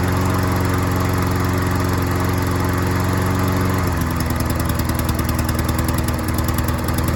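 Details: Troy-Bilt self-propelled lawn mower after fixing the carburetor needle seat and replacing a leaking gasket: a steady, full-throated drone that shifts to a slightly different even beat midway, with no stumbling or surging; it runs and mows properly.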